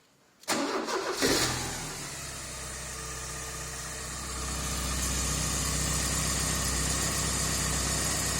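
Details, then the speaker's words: Porsche 944 after a new gasket was fitted at the exhaust manifold flange to fix a noisy exhaust leak; it cranks, catches and settles into a smooth, even idle with no puffing or ticking; normal idle. "we just finished uh fixing the exhaust put a new gasket on the exhaust at the bottom of the flange from the manifold to the actual remaining source of the rear of the car"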